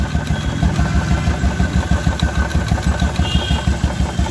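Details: 2016 Royal Enfield Electra 350 single at idle, clutch cover removed: thumping about three times a second with a loose metallic rattle from the clutch side.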